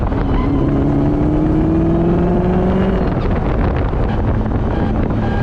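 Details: BMW E34 540 with ZF 5-speed manual, run without fluid: steady whine rising with road speed while driving, confirmed by stethoscope inside gearbox, not dual mass flywheel; worn transmission gears.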